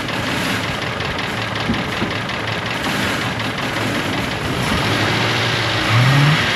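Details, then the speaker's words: Ford F150 with 4.6 V8, oil bottles found in the bed, being revved: a choked rise with a faint fast internal tick; it won't rev freely and smells of rotten eggs, and a clogged catalytic converter is suspected but not confirmed. "okay so listen I'm no mechanic or anything but I think something's ticking inside that engine"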